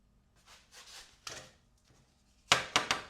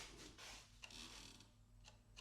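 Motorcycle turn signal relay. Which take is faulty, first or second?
second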